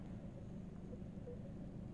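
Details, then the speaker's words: Skoda Octavia Mk2 1.4 petrol after repair of a timing belt failure, bent valves and head gasket, warmed up: a quiet, even low idle rumble, the earlier hydraulic tappet ticking gone, running calm and normal. "I don't know how to explain it, more calm. The voice from the hydraulic tappets is lost. The coolant is okay. Everything works fine."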